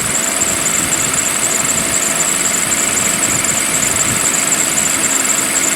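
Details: Toyota 2GR-FE V6, about 7 years and 25,000 miles of ownership, cold start on a cold day: thin high squeal over busy valvetrain noise at idle; belt or pulley suspected, goes away; belt squeal on cold idle.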